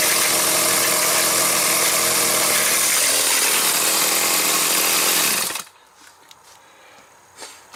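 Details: Stihl 029 chainsaw: high steady scream with rough rattly edge until cutting out, chain spinning even at start and low RPM; broken clutch springs found, replaced; cover washer behind clutch was missing.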